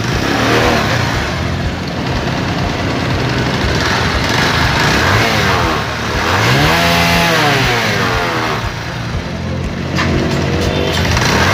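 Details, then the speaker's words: Kawasaki Rouser 180cc motorcycle, 2014 model, after a shop tune-up and carburetor cleaning with the tank refitted. Crisp single-cylinder revs that settle back cleanly, with quick, even throttle response and no knocks or misses: normal running. "So ayun mga kabay ayos na yung aking motor. Okay na yung andar niya."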